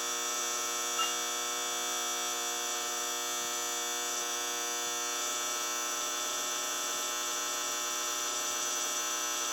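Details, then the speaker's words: 1964 General Electric 175 W mercury vapor NEMA street light head with a newer Sylvania 175 W bulb, on startup: loud, harsh, steady ballast buzz with a gritty high edge, owner's loudest fixture; cause not yet known. "Um, now, like I said, this fixture is loud. It buzzes really loud. I think this is probably the loudest one that I have now."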